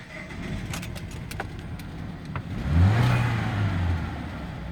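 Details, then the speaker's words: 2013 Ford Escape 1.6 L turbocharged gasoline direct-injection engine idling with an uneven, stumbling beat and brief surge: misfire, plus an exhaust/muffler leak, before reading codes with IDS. Suspects include ignition, injectors, intake vacuum leak or mechanical fault. "سامعين التقطيعة دي؟ وفي طبعا اكزوست ليك، مفلر ليك كمان."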